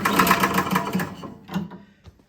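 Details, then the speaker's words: Toro Power Clear single-stage snowblower, choked and primed, after the owner reported a loud backfire when pull-starting: a short cranking burst dies, then sharp little pops follow. A valve timing or valve fault is suspected. "So when I heard that little backfire, and that's exactly what the customer described, I immediately think something is going on with the valves."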